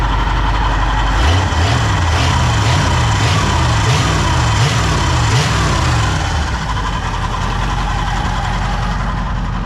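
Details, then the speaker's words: Pontiac petrol V8 just fitted with a rebuilt Holley carb, timing set: starts easily, steady idle, several quick clean throttle blips then back to idle; healthy running, though the alternator has bearing grinding. "So set the timing, starts nice, revs up good."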